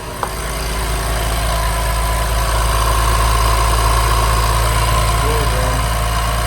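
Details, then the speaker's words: BMW 335i (M55 engine) after oil filter housing replacement: engine automatically raises idle during electronic oil level measurement (no dipstick); steady smooth hum at lifted speed with no roughness; oil reads at max, coolant good. "Click measure oil level and that [ __ ] started revving bro. What the [ __ ] boy?"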